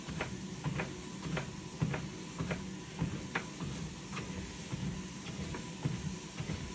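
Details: Lifespan Fitness TR1200B treadmill on first use: sharp slaps about twice a second over the running hum, clapping from the deck near the top area, likely tied to footfalls.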